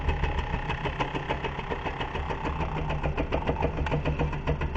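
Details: MBK/Motobécane AV10 moped engine, freshly rebuilt top end, first start on the workbench: rapid uneven clatter, three to four hits a second, over a low idling putter, from the jack stand vibrating on the bench, not the engine.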